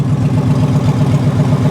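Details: Ford F-150 3V V8, two-wheel drive, idles with a loud, deep, raw exhaust burble because the catalytic converters were stolen; the missing cats mask any cam phaser rattle, no check engine light yet, engine seems to run well.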